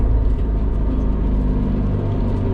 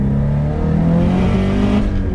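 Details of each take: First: 500 hp Subaru STI after a cylinder-2 misfire was fixed (leak-down and compression passed, coils reinstalled), pulling to 16 psi boost: a deep, even engine pull with no stumbles or popping, healthy with no misfire. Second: Subaru STI, about 500 hp, at full throttle in second gear: the boxer drone stumbles unevenly, logging 23 misfire counts on cylinder 2, sounding like no spark; a burnt valve or spark breakup is suspected. Single-cylinder misfire under boost.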